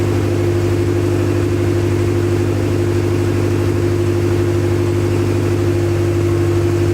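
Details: Acura Integra first start after crank, no-start troubleshooting: smooth steady idle with a constant low drone, no skips or surging; run only briefly, no coolant in system.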